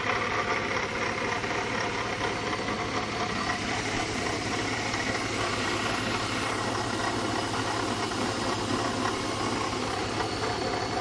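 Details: BMW E36 320i at idle: constant whirring, gritty rush over the engine; bad water pump.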